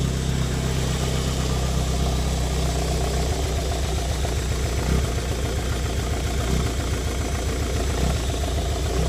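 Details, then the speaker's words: 1990 Toyota MR2 Mk2 JDM, stood over 20 years: low idle with an uneven beat and occasional dropped pulses, missing a little. Owner suspects it runs rich, maybe a coolant temperature sensor; plugs and basics not yet done. Engine misfire at idle. "you can hear it there it's just missing a little bit [Music] and miss miss miss miss so yeah it's not not happy at the moment for some reason"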